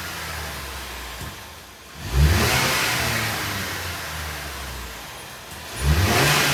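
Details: Ford Maverick engine just after swapping in a new K&N air filter: smooth idle, then two clean throttle blips that rise and fall freely with a crisp intake note and no hesitation; normal, healthy revving.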